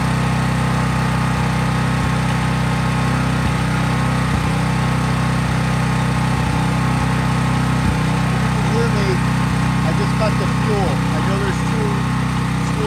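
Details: Craftsman 5000 watt generator after cold start, running with little or no load: even, steady drone with no surging or misses; normal no-load running.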